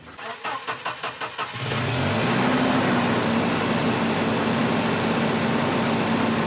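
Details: 1985 Volvo 240 (LH2.2): cranking brief, it catches and settles into a steady, too-fast idle that never drops.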